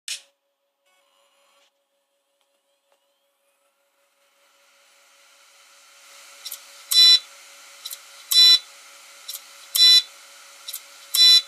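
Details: Dropped Seagate Barracuda LP 2TB desktop hard drive beeps repeatedly in a steady rhythm because the end of its read/write head arm is broken; needs head replacement.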